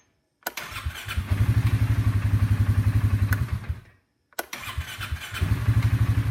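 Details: Starter cranks the engine in steady pulses, about four a second, then stalls into silence and has to be retried, showing a dead segment in the starter.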